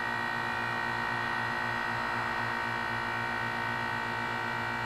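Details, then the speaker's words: 12-year-old 2004 Carrier 10 SEER 3-ton heat pump outside a gym, frozen over in cold, humid weather: steady hum with fixed tones, no rattle or rising pitch, during a normal defrost cycle, switching back to heat mode while steaming. "and humid perfect recipe for a steam show and there we go back into heat mode and there's all the steam and again"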